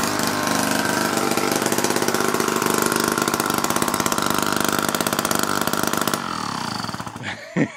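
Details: 1950s kids' go-kart small single engine, first run after years sitting, oiled cylinder, choke on, fuel leaking from cap: buzzes at fast even beat with no misses, then shuts off; running fine.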